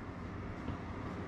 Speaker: at first startup in the morning so that's a fairly well it's just a medium sort of fan speed